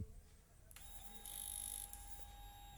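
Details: Carbureted motorcycle converted to fuel injection, key-on after reconnecting a sensor that had caused a seven-blink fault code; faint steady electric whir for about two seconds then stops, a normal fuel pump prime.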